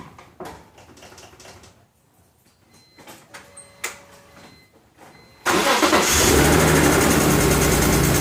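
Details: BMW E46 M3 S54 engine that suddenly began misfiring at a stoplight, coil swap did not help: lumpy idle with uneven, stumbling pulse; misfire caused by a broken rocker arm retaining clip.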